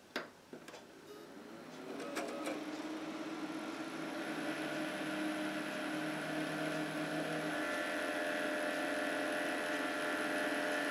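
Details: PC case fans run on a standard 12 V supply, before the 5 V molex adapter is fitted: a few clicks at switch-on, then a whoosh that climbs to a steady, loud whirr with a hum on top, fans at full speed.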